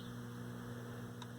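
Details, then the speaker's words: Estate-sale Lloyd's AM/FM all-transistor radio, model 7H13G (about 1970), powered on: steady low mains hum with an even buzz under quiet static that worsens the longer it is on, then a sudden loud burst; cause not yet confirmed. "the hum's getting worse the longer I leave it on so I guess let's take the back off and check out what we're getting into"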